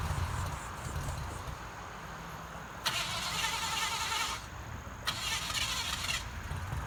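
Two separate bursts of starter cranking, each about a second and a half, and the engine never catches: it cranks but won't start.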